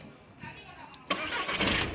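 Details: Skoda Laura that had a no-start problem with error codes, suspected ECM or starter motor fault: short starter whirr, then the engine catches at about one second and settles into a steady run, starting normally.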